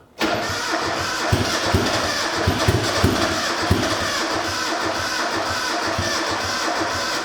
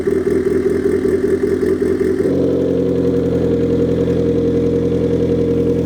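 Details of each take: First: Rebuilt high-compression turbo Miata engine on its first crank after the rebuild, before base timing was set. It catches but runs lumpy and stumbling, as if it lacks compression on some of its four cylinders. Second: Rebuilt high-compression turbo Mazda Miata warming up, downpipe and intercooler pipe not yet connected: brief higher rev, then an even, settled idle with no misfire or knock. Running fine.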